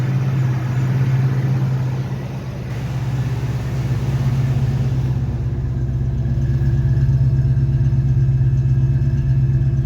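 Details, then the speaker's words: Fox Body Mustang V8 after fixing code 34 (EGR position) by cleaning carbon from the stuck EGR valve: steady even low idle rumble, no stumbling or shaking; smooth idle restored. "yeah fix before everything was just shaking under here so yep we're good to go"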